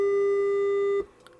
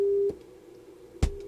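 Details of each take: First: Harman Kardon PM665 amplifier after removing a solder bridge that was grounding out: clean steady test tone for about a second, matching the good channel; problem solved. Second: Harman Kardon PM665 amplifier, tuner/phono input troubleshooting: a strong steady test tone on the good channel, then the same tone barely audible amid probe clicks on the other; little gain, transistor suspected but tested good.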